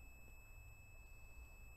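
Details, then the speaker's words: New purge valve solenoid from a GM 3.6 LLT V6, with a P0442 EVAP code, checked on a multimeter continuity test (about 15 ohms): a steady high-pitched beep holds throughout; the coil has continuity and checks good. "we hear a little beep there that's the new one here's the old one you can also check continuity on these as well"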